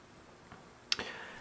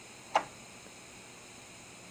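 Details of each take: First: Audio-Technica AT-PL120 turntable, volume cranked all the way, before the built-in phono preamp is switched on. Only a faint, even hiss with a couple of soft clicks and no hum underneath; normal amplifier hiss. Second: Audio-Technica AT-PL120 turntable with its built-in phono preamp switched on at full volume: a click, then a low steady buzz of mains hum that disappears when the preamp is off; a poor built-in preamp is suspected.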